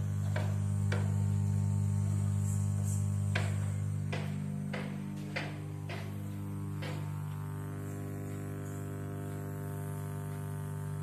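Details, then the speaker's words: Custom-built amplifier in for service: steady low buzzing mains hum from all speakers, not just one, even with the volume at zero. "ஒரு ஃபீக்கர் இல்லைங்க எல்லா ஃபீக்கருமே தான்"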